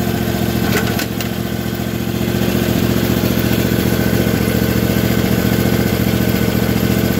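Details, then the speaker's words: Briggs & Stratton overhead-valve engine on a 450-hour tractor, giving an uneven, lumpy, loping idle with one firing beat softer than the other. One cylinder runs weaker from a leaking head gasket, with exhaust and oil escaping where they shouldn't. "it does run weaker on one cylinder and you can kind of hear it if you know what you're looking for"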